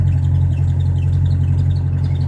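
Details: Diesel car cold start at about -30°C: deep, steady low rumble settling into an even idle after it stalled twice and caught on the third attempt.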